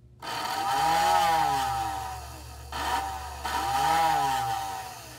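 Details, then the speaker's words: American Flyer whistling billboard after disassembly and repair, on transformer power: airy whistle swells in pitch then fades in two clean cycles, with light buzz from vibrating on the table; working properly. "it's vibrating on the table a little bit so that's why you get some of that noise uh let's see if i can make it stop here so that's how that works and just you know wow it's working good now"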